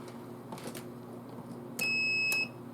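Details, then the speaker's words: Compressor relay for the 2008 Cadillac Escalade air suspension, bench tested with a power supply and multimeter: a single sharp tick as the coil energizes, then a half-second meter beep. The relay works. "so you can hear it Go tick so that shows that the relay is good"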